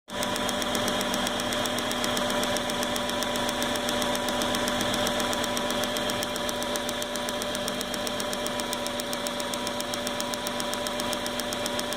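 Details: 1998 Subaru Forester idling with an uneven, stumbling misfire after water was sprayed on the coil pack, which looked fine; runs rough when wet or damp.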